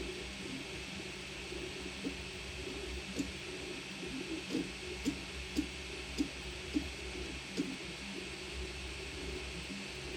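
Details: Ender 3 S1 Pro 3D printer: sharp irregular clunks break through the steady motor hum during certain moves, only on prints showing layer failures, not on a Benchy. Owner unsure whether the belt is skipping or something else.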